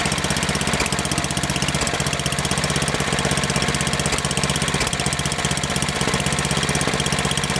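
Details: Snowblower's small single-cylinder engine after fixing an idle surge with a new spark plug and an oil change: steady, even idle at about four beats a second, with no hunting or surging.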